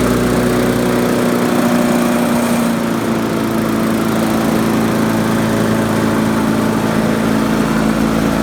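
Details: 1999 Weedeater HD4QE22SC mower, B&S Classic 4.5 HP, trash-picked, revived with replacement gas tank, pull cord, flywheel key, diaphragm and oil change; steady even single-cylinder drone holding speed, no surging, sputter or knocking; normal running.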